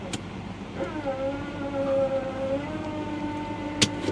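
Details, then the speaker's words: Repossessed Chevrolet Tahoe at Copart, idle hunting 1250–1500 rpm: shifting the transmission into reverse or drive brings a steady mid-pitched groan that rises, holds and wavers over idle; cause unknown. "whenever you put the transmission in Reverse or drive it starts making some horrible foreign noises that ain't good that ain't good"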